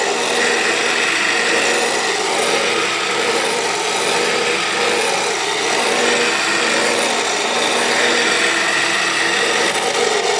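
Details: South Bend drill press just after replacing spindle and pulley bearings (pressed in with arbor press): constant harsh rasping hiss with faint steady whistle at running speed while lowering the quill; major spindle noise, cause unknown.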